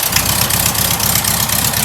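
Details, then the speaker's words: First start of a rebuilt VW air-cooled engine saved from the sidewalk: steady, even idle with fast regular beat and loud raspy muffler over it, no knocks; motor itself quiet and healthy. "Like I said, the muffler's a little noisy, but the motor's nice and quiet. Yeah, it is. Wow."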